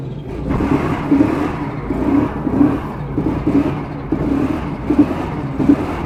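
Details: Procharged 1996 Mustang GT, coolant temp 200, possibly burning coolant, smoke from under hood: second-gear wide-open-throttle pull in boost, engine roar surging and stumbling about once per second, breaking up under load.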